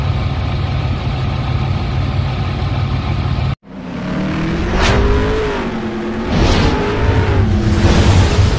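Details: 1994 GMC Jimmy 4x4, 4.3 V6 CPI, 191,000 miles, revived after sitting six years, after the long drive: steady even idle, then a quick restart that catches at once and revs cleanly in a couple of blips; normal start and idle.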